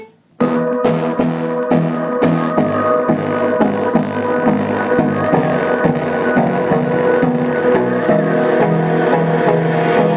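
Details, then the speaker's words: JBL Flip 3 Bluetooth speaker playing music over Bluetooth with a rough, crackly edge on the beats; the cause is a failed speaker driver, and the fix is replacing the driver. "this is the crackling sound the problem is the speaker driver here we have to replace the driver itself there is no other solution for this"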